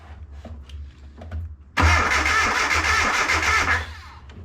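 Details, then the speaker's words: Abandoned Datsun 720 King Cab 4x4 pickup, sat about 20 years, new starter replacing one that failed grinding and smelling burnt, fully charged battery: sudden strong fast even cranking about two seconds; much faster than old starter, healthy. "also turning way faster than the last starter ever did so maybe we had a dud anyway"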